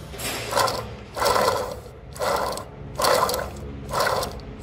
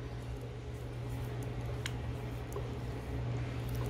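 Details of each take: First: 2003 Toyota Hilux 3.0 naturally aspirated rear differential: removed, washed and dry small pinion bearing spun by hand gives repeated rough, gritty rasping bursts, showing it is worn. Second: 2003 Toyota Hilux 3.0 naturally aspirated rear differential after overhaul with four bearings and seal replaced and adjusted: only a low steady faint hum, no grinding or whine; previously very noisy, now quiet and healthy.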